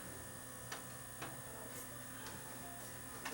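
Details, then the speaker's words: Dead Zenith CRT TV that went up in smoke, ear close to the set: thin steady high squeal with faint irregular ticks from the switching power supply chopper transformer; fault cause unconfirmed, parts ordered. "so what I can hear if I put my ear right up to it is I can hear the power supply squealing so I can hear the chopper Transformer this one has a switching power supply"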